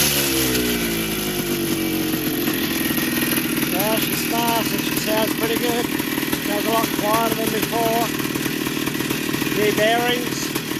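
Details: 1982 Yamaha YZ490 two-stroke, first start after a 6-month rebuild with new bottom-end bearings and seals, a cleaned top end and a new air cleaner: steady idle, crisp throttle blips, even firing, no knock or rattle. Normal running.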